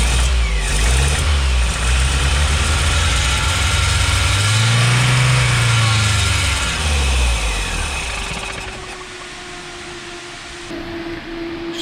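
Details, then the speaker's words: Triumph TR7 with twin SU HS6 carbs, fully warm with fans on, recorded from inside the car: held near 3,000 rpm, engine sags and dies immediately when choke is turned off; owner suspects lean running; stalls without choke. "Turn the choke off, she just dies. Just dies immediately."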